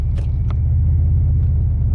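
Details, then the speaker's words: 2005 Pontiac Grand Prix GXP, 5.3 LS4, driving slowly under throttle with no power and no check-engine light or codes: deep lumpy rumble, uneven low pulses; owner feels it runs on only a couple of cylinders, misfire suspected, cause unknown. "oh yeah the problem still there I don't know if you can hear it but I don't have any power at all when I'm pushing on a trot"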